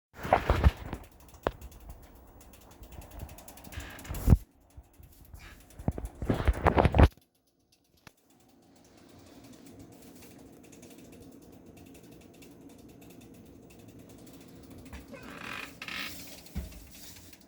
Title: PC avr clicking sounds